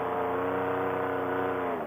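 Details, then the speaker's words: Air Conception Tornado 280 two-stroke paramotor, freshly rebuilt after a broken piston, scored cylinder and damaged head, at about 5,500–6,000 rpm: steady high drone with no roughness. Normal running. "with the motor be in fresh and rebuilt it sounds great right now"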